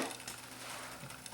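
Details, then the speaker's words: Aiwa M700 3-head cassette deck after overhaul and rubber-renew on the rubber tire: light even whir with soft ticking, no drag or slip; fast forward and rewind now smooth. "the rubber tire, the fast forward and rewind is nice and smooth now. So everything's looking good."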